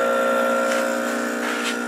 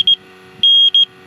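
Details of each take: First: Freon recovery pump pulling a vacuum through the gauge set on a 1988 Jeep XJ AC compressor after recovering the freon into a bottle: steady, even mechanical drone of constant pitch with no knocks or rattles; normal running. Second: Freon leak detector checking the AC compressor for the '88 Jeep XJ beeps erratically, two short then long, almost like Morse code; may be from bumping or a loose black end hose, leak not confirmed.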